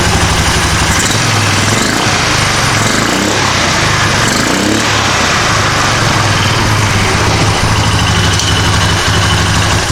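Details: Polaris 425 four-wheeler, not run in 3 years, after recleaning carburetor idle jet: single-cylinder catches and settles into a steady, even putting idle with no stumbling or misses; normal idle.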